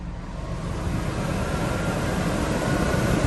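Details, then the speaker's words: Truma Aventa rooftop RV air conditioner switched to high fan: loud, steady rushing roar that builds slightly then holds even, putting out a ton of air, with no rattles or squeals; normal high-fan operation. "And that's pretty loud, actually. But it is putting out a ton of air."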